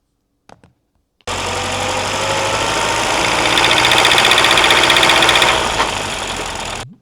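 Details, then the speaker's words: Ford Model A engine with a known problem, recorded by microphone placed on the engine: a fast, steady, harsh clicking knock, about four per second, over the running engine; about 5.5 seconds clipped. "I clipped about 5.5 seconds of this click, click, click, click."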